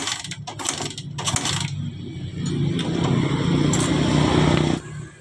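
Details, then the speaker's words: 2010 Suzuki Satria F (FU) motorcycle hard to start: fast, light, even starter churn that never catches, engine spins freely; cranks but won't start from lost compression, valves to be checked. "masalahnya motor ini hilang kompresi jadi susah hidup ya langsung saja kita coba ya Ini susah hidup"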